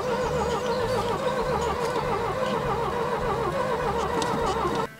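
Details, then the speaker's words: Green Ford Taunus parked since 1995 (29 years), start attempt after carb priming with brake cleaner: steady rhythmic cranking with no firing; ignition found lost, no spark (breaker points in the distributor were replaced the day before). "va toujours pas décidément celle-ci elle se bat pour rester morte [ __ ] je vais faire ma technique ultime et c'est exactement ce qui vient de se passer on a plus d'allumage donc effectivement sans allumage comment vis-tu comment veux-tu que je démarre"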